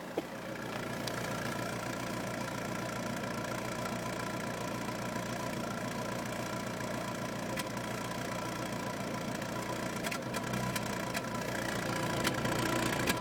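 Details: Peugeot 206 GTi 2.0 idling rough with an uneven stumble several times a second; misfire, resolved by fitting a new coil pack and a set of spark plugs.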